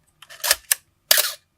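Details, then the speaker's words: Canon AE-1 Program, 1981, fired at 1/1000 s: a drawn-out, dragging double clack instead of one crisp snap, the Canon cough from a slow mirror box with dry gears; shutter speeds are off; fix is to lubricate. "that cough you know um I definitely recommend robot usn't now I'm playing but your shutter speeds are off when you have the cannon cough but it's fairly easy very common within the A1 ae1 A1 program A1 av1 gez manetti H I think there's one more but they're all constructed from basically the same mirror box"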